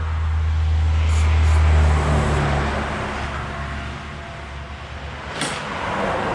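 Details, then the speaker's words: Free old Honda 18-inch plastic-deck push mower, given away with suspected carb problems, started on ether: rough-running small engine with a steady knock about four a second; the whole engine is loose on its mounts, causing the knocking. "all right so it does fire up and i notice that the whole entire engine is loose i don't know if you can see that in there that's why it's making the knocking sound"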